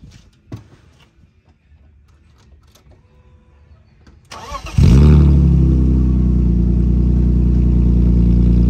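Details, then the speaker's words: Homemade custom exhaust: the engine catches and settles into a loud, deep, even burble with a steady low drone; sounds good. "doesn't sound too bad actually"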